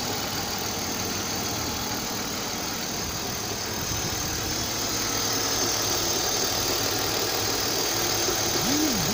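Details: 1999 BMW 528i E39, M52B28TU engine at idle: dull, rhythmic knock about four times a second over engine note; cause unknown, owner asking.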